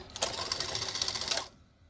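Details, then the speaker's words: 1984 Sanyo Beta VCR (Model VCR 3) during repair testing: brief busy mechanical whir and gear clatter for over a second, stopping cleanly; cassette loading works, though play, fast forward and rewind still only click. "thank you. Loading works."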